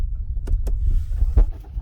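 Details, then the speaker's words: Lexus IS250 push-button start, previously not starting: starter catches at once and the engine settles into a steady low rumble, clean start with no grinding; normal engine start. "see the car start right up."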